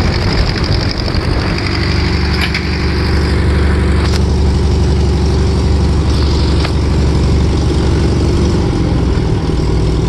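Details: VW Type 1 air-cooled flat-four, first run after fitting new valve adjustment screws: steady low rumble with light, even valvetrain clatter and no odd knocks; normal idle.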